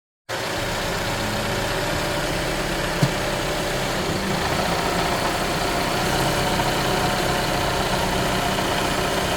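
Loose, uneven rattle over a steady petrol idle, with one sharp tap midway; some rattle in the engine bay, source not pinned down.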